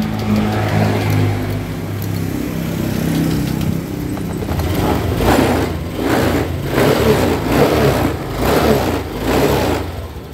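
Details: Honda Vario 125 scooter after repairing a peeled crankshaft position sensor wire and clearing the MIL code: idles then picks up cleanly on several throttle blips, settling each time; runs smooth.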